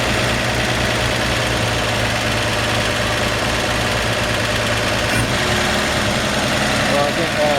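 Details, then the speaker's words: 1954 Chevrolet 3100 5-window pickup, straight-six, cold and barely driven, on its automatic choke: a smooth, even, slightly fast idle with no knocks; the idle sits high until the engine warms, and the owner would turn it down a hair. "And she's still warming up, so I didn't drive it far. So I believe it's got that automatic choke. When it warms up, it starts to come down a little bit. So it sounds like it's idling up a little high."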